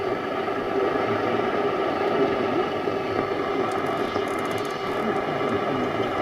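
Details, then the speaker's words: Nordmende Transita Deluxe portable radio on long wave, tuned for Radio 4: steady hiss and crackle with only a faint trace of a station; very weak reception. "very weak though for Radio 4"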